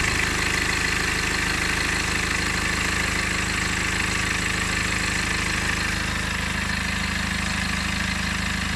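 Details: BMW E60 LCI 2009 with N47 diesel at idle: even, fast metallic clatter over the usual diesel knock, possibly from the chain end; owner suspects timing chain noise.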